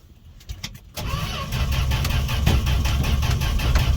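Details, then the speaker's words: Fargo D100 (Dodge D100) pickup cold start after sitting all winter, gas poured down carb throat: a few clicks then steady even cranking, never fires; owner thinks no spark. "should have popped off by now all right well that was a fail I'm gonna have to check for spark and whatnot"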